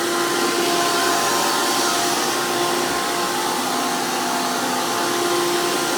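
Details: 2002 Hoover PowerMax II U5246-940 Elite upright vacuum with 12 amp motor and 20-blade fan impeller, after motor work: very loud, even high-pitched roar with steady whine, no surging or rattle; normal healthy motor and fan.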